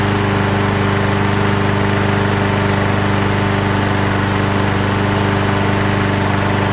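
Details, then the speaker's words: Briggs & Stratton Brute 6.75 engine on a 22-inch front self-propelled bagger mower: steady, even single-cylinder chugging with no misses or surging; runs cleanly, though smoking from likely old oil. "uh it runs didn't even have to spray starter fluid in it anymore"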